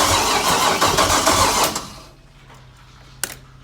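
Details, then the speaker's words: LS-swapped Scion FR-S before first startup, starter wired to a switch, ECU and fuel pump not yet connected: fast, even starter churn at three to four beats a second, no firing, priming oil pressure with no leaks; normal cranking. "priming a little oil pressure it isn't leaking at all which is super good"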